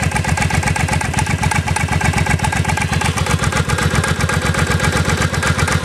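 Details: Engine idling with a steady quick pulse, about four beats a second, with a dull clunk running through it; source not identified.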